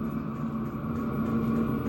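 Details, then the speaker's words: Vevor 8 kW heater on an EcoFlow River Mini at half power (level 5): a steady low fan whir and even hum with no surging or ticking. It runs stably, drawing 16–17 W. "Là, à la moitié, on tourne à 17, 16-17 watts. C'est encore assez stable."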